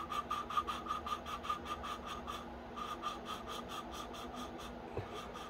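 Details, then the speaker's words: Honda GX160R valve lapped with grinding compound using a suction-cup tool twisted back and forth: even rubbing strokes two or three a second with no grit or catching; the valve seat is fully lapped. "I'm just twisting until that grinding noise is just uniform and smooth it just sounds like two surfaces rubbing together not grinding"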